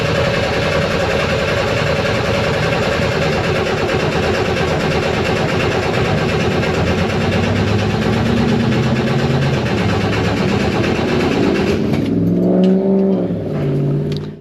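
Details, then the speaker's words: 1967-69 Chevrolet Corvair with front tank and rear engine, sat for years, on a jump box; starter grinds steadily with no firing, no start, fuel not yet reaching the engine through the long fuel line. "so now I have to crank it to get gas from the fuel tank in the front to the engine in the back it's like an 8T long fuel line so we'll see we'll keep trying"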